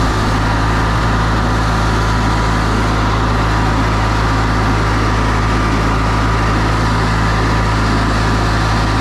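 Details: Older Briggs & Stratton Sentinel by Murray ride-on mower after starter drive gear replacement, under load: steady low drone with even beat holding firm, no misses or surging; engine running healthy.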